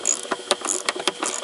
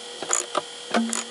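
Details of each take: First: Car windshield wiper motor and linkage after loosening the bolt and inserting metal shim plates to stop a metallic clop: quick clicks and whirring bursts with no knocking or grinding; normal wiper operation. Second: Car or truck windshield wiper motor running: faint hum with sharp metallic clops every few tenths of a second; fully tightened motor mounting bolt contacts the steel plate, fixed by adding metal spacer plates.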